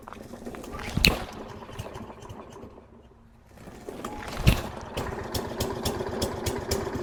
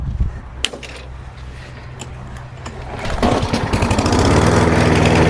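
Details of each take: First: Walk-behind lawn mower just out of winter storage, fresh gas added and primed: two hard cord pulls with no catch, then a rapid, uneven putter as it struggles to start; hard starting from a fuel problem. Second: Warm single-cylinder lawn mower after winter storage: catches on one pull and settles into a strong, even run; fuel problem confirmed.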